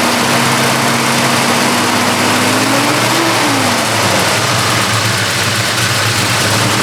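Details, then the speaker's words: 1972 Chevrolet Chevelle with 454 big-block V8, started after an underside inspection: deep, steady rumble holding an even idle with no knocks, ticks or misses; healthy engine running smoothly. "what we're going to do now is drop it down start it up and so you can hear the engine run"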